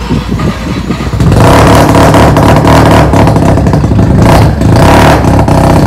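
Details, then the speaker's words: Mazda FC3S rotary being rebuilt, revved right after the exhaust muffler was fitted (previously run without one): loud, raspy note climbing and holding high revs smoothly, with no misfire or popping. "Okey, exhaust dah siap. Jom kita dengar bunyi dia. Itu hari tak ada exhaust"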